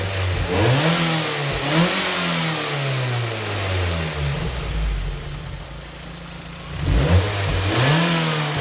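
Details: 2006 Mazda Miata, about 20,000 miles, newly installed Goodwin Racing Helmholtz exhaust, unloaded blips to mid revs: hollow tinny rasp over exhaust note fading at idle, heard from Helmholtz chamber area; owner says worse under load at wide open throttle.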